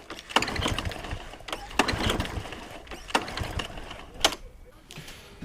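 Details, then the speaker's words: 2007 mower with RV150 engine, ran last year, sat about 40 weeks, some fuel in tank: several uneven rattly pull-cord cranking bursts that never catch; turns over but won't start. "let's try and fire it up see what happens I got a suspicion it's not actually going to not going to start up"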